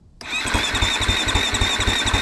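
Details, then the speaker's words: Husqvarna FC250 that wouldn't start after a ride, spark checked: a steady starter chug with a high electric whine for two seconds, engine never catching. Cranks but no start; fuel pump later confirmed bad. "why because it turns over but that's not fire"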